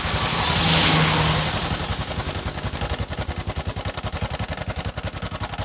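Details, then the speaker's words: Honda Supra X 125 motorcycle, rough noise from the front of the engine, block/head area: after a quick rev the idle settles into a fast, even metallic clatter from the top end; cam chain rattle. "Ini motor 125 dia bunyi kasar di bagian bagian depan ya, bagian bloknya, bagian blok head atau ini bawah."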